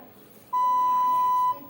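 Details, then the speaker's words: Small Samsung phone beeping every so often: one clean mid-pitched beep of about a second in a quiet room. "रेखा दोस्तों आपने बिल्कुल इसी तरह से थोड़ी-थोड़ी देर में ये बीप साउंड आता है और इस साउंड से परेशान हो गया की इसे कैसे बंद करें"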